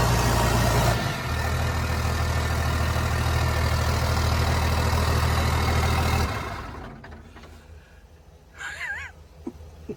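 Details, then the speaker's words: 29-year-old TimberJack 450-C skidder diesel, just started on ether after sitting 8 years, not yet hot: even, steady idle with a smooth low firing beat and no knocks or misses before it winds down; it later showed zero blow-by. "Wow. This thing runs so good."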